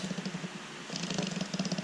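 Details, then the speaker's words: Hyundai Kona Electric reduction gearbox, removed for a rebuild with new bearings: a grooved bearing with side-to-side play is spun by hand, giving a dry, uneven, intermittent rattling tick several times a second; worn bearing. "That's the one I can hear rattling. Sometimes it's there, sometimes it's not."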